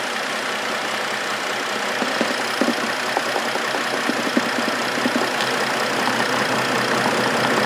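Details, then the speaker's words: 2004 Trailblazer engine with NGK iridium plugs, once smooth: uneven idle with irregular stumbles, about two or three a second, engine visibly rocking; a misfire, cause not found, owner thinks probably not the plugs. "now I'm pretty sure you can see how much it's rocking [Applause] so it's got a miss"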